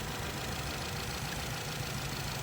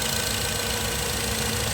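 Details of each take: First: Petrol engine idling in gear, vibrating more in R or D, with an uneven lumpy low hum; codes P0304 cylinder 4 misfire and P0420 catalyst efficiency, suspected coil or sensor fault; single-cylinder misfire, rough idle. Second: बिल्कुल अभी वाइब्रेट नहीं कर रहा। बिल्कुल प्रॉपर है इंजन की तरह। ठीक है? रेस भी स्टेबल है और इंजन भी वाइब्रेट नहीं कर रहा।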